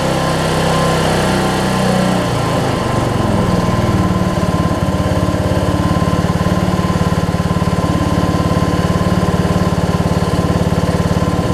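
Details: Weed Eater riding mower with 16.5 hp Briggs engine, 42-inch cut, six-speed, after fuel-leak work and putting the bowl back on: engine fires and holds a steady, even beat with no stumbling or surging; running normally.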